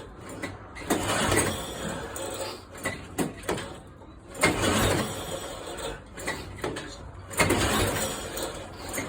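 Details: Red pedal-assist tandem moped trike that ran six months ago; its air-cleaner side was damaged in a crash. Repeated cranking bursts every few seconds never fire, and the engine spins without starting. Cranking no-start from fuel starvation.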